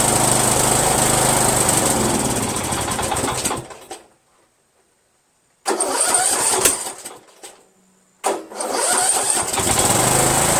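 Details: Yard Machines 1742 lawn tractor with an owner-rebuilt engine fires up, runs roughly and unevenly, dies twice and restarts; owner suspects the $10 reproduction Chinese eBay carburetor, not confirmed. Rough running and stalling.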